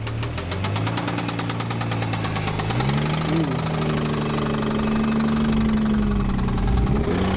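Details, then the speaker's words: Infiniti G35 V6 with manual transmission running with steady, fast, deep knock rising in pace with revs; suspected rod knock before rebuild. "it has a blown or not a blown motor but it has like a a rod knocking noise or sound or problem"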